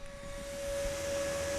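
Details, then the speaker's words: Magnavox ZV427MG9 DVD/VCR combo with a replacement ball-bearing cooling fan that runs faster than spec: loud, steady high whine over a low hum, much louder than the original fan; wrong fan. "well I think it's going to have to go back with the used fan because that's definitely louder than the original fan Wells by a long shot"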